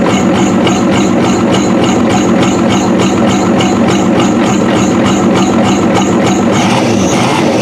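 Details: 1993 Ford F-250 7.3L IDI diesel just started after long cranking: loud clatter with hard, evenly spaced knocks over an uneven rumble. Running rough; owner suspects the injection pump was never timed after new injectors were fitted.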